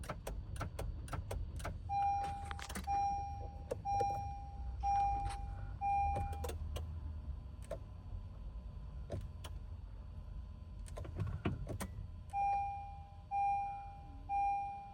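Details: 2021 Honda Pilot with a 4-year-old dead battery: dash chime pulsing about once a second, scattered relay clicks, no cranking, dashboard errors; no-start from bad battery.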